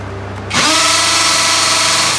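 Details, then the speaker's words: Tanzu 13mm brushless cordless impact drill running free in a noise comparison with a DeWalt; spins up quickly to a smooth steady high whine, held evenly. Normal running, quieter and more tolerable than the DeWalt. "mas tolerable yung ingay niya kaysa doon sa DeWalt, no?"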